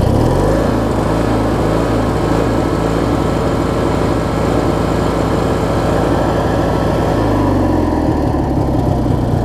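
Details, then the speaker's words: Craftsman 42-inch 6-speed riding mower with a 19 hp Briggs & Stratton Opposed Twin, after a new ignition switch, battery and spindles: a steady, even idle with a smooth rhythm and no misses or stumbles; it runs fine. "But this is about as good as this one's going to get, I think. Runs fine for what it is."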